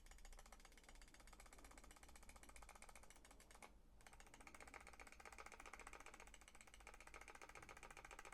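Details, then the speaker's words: Asus Keris 2 Ace mouse after about two months' use: rapid loud clicks with scratchy plastic rustling inside, as if parts rub, absent when new; clicking with internal plastic rustle. "І тут реально Клік ну скажемо так знову ж таки голосний і плюс це є шуршання"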